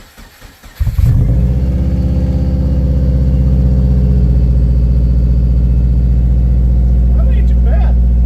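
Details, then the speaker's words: Subaru Forester XT with a blown turbo, oil in the intake and the O2 sensor just cleaned, starting up with an exhaust fitted: short crank, then a steady, even low burble at idle with no knocks or misses. Residual smoke is expected; sounds good. "That actually has a way better tone than I was expecting. Yeah, that sounds really good actually."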